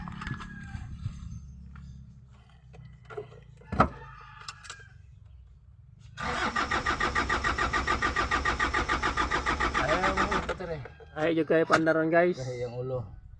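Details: Isuzu ELF truck with a hard start: the starter churns about four seconds at roughly three and a half beats per second, then the engine barely catches and stumbles. Long cranking before it starts.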